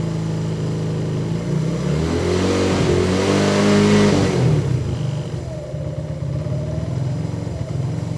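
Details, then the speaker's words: 125cc motorbike that stalls after 3–4 minutes of running: revs climb and sag, hunting and losing power before stalling; owner suspects fuel starvation or possibly ignition, unconfirmed; engine surging and stalling. "The engine stalls after 3 to 4 minutes, and it stalls in a very specific way. It starts losing power, the RPMs are going up and down."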